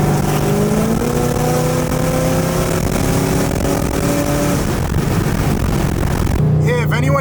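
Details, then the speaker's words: Camaro in-cabin under throttle after installing a Speed Engineering X-pipe into the 3-inch exhaust: smooth note rising evenly, no helicopter drone, quiet enough to talk normally where before shouting was needed. "In the car, obviously, it's actually pretty quiet right now. I'm on the throttle and I can talk normally. Like before, I would have to scream."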